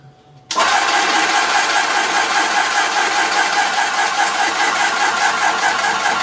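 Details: Graco ProStep paint sprayer, primed with paint and switched on to build pressure up to the set pressure: the motor kicks in abruptly, then holds a steady, even hiss and drone, normal pump running.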